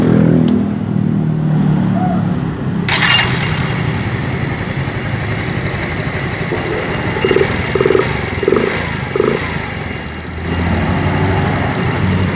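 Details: Yamaha Mio Z scooter CVT test-run without the fan pulley, roller housing and rollers: smooth even rev bursts with none of the earlier rough clattering on throttle; worn roller housing bushing and plastic pins blamed and replaced.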